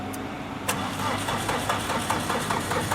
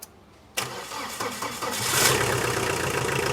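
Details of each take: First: Tata Winger diesel, cold no-start: starter churns at a steady beat but engine never fires; glow plug test bulb doesn't light, heaters get no current; starts once the heaters are fed power directly. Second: Tata Winger diesel with starting problem, after setting high-pressure pump timing: short pause, then fires on first try and settles to a steady clattering idle; starts normally, pump timing fine.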